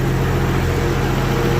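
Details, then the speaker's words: Barra-swapped Toyota JZX100 with standalone harness, first start after build; steady, even low rumble with no knocks, misses or hunting. Normal idle, motor sounds mint. "actually I better check the fuel not leaking nothing on the ground oh this is aw sounds good [Music] too motor sounds mint"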